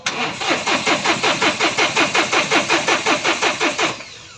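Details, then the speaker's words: 2020 Mahindra Bolero Power Plus diesel in neutral; starter cranks evenly, about four to five pulses a second, fuel pump audibly running, but engine never catches; faulty fuel control unit, codes P000100 and U242000, check engine light on. "Start হোৱা নাই আৰু এবাৰ দি আছো যাব fuel pump চলি আছে fuel পাম্পৰ আৱাজ ওলাই আছে ষ্টাৰ্ট হ'ব লাগে হোৱা নাই"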